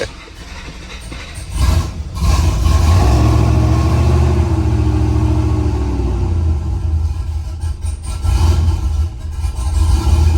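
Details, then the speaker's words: Truck V8 after a cam swap, running the factory tune. It catches with a blip, then lopes and hunts at a low, lumpy idle that sags and recovers. It needs throttle to start while it learns the idle airflow. "This is the factory file, and it's idling. Sounds pretty good, actually. And it stalled."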